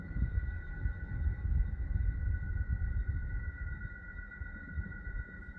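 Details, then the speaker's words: AC fan motor ZWR50-F / FN60B-ZL, used in Gree and Alpicair units, 3 years old with only occasional use: steady high-pitched whine at constant pitch over a low rumble; worn fan motor bearings that need replacing. "bearing failures appear to be very common in this this unit is only 3 years old and has been used only occasionally so let's fix this noise issue"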